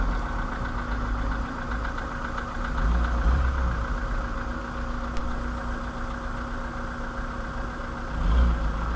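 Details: 2013 VW Polo sedan, CFNA engine, 192,000 km, at idle: dull hollow knocking roughly three times a second, loosely tied to engine speed, over a steady hum. Piston slap.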